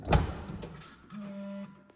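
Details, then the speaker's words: 2020 Tesla Model S Long Range Plus trunk: thump as lid is pushed down, cinch motor hums half a second and stops without closing clunk; motor now works but latch doesn't fully close, latch needs replacing. "So it is still not fully closed, even though that cinch motor is working, which the cinch motor wasn't working before,"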